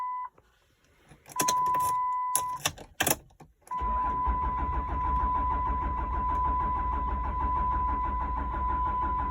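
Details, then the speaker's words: Third-gen Cummins Mega Cab in a no-start condition after a cleaned and reset TIPM and global reset: chime, then starter cranks steadily about seven seconds without catching. "again today we are trying to get the big mega to start uh no luck thus far"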